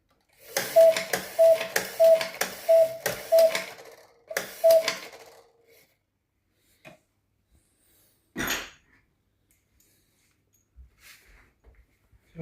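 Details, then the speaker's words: Snow White cuckoo clock after reinstalling a bellows repaired with a new skin: two-note cuckoo call repeats about six times, then hesitates with a weaker call; the bellows are not working right, so they must come off again. "So, I need to take off the bellow again. see where the problem is. There's a little small problem, but you can hear it's"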